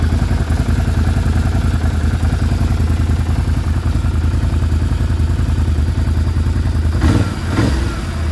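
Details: Can-Am Renegade 650 Rotax V-twin, cold engine at fast idle; hollow, uneven clatter knocks that ease as it warms: piston slap, stops as piston-to-cylinder clearance decreases.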